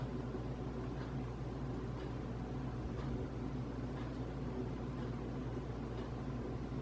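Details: Casablanca Hampshire ceiling fan bought around 2007–2008: loud hum with rough grinding undertone and faint scrape about once a second, louder in reverse; blades tight, no visible rubbing.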